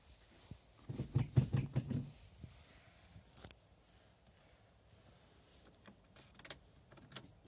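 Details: Ford Focus Titanium 1.8 diesel, 2006, cold morning: a second of slow, labored cranking that quickly fades; battery too flat to turn the engine over, not glow-plug related.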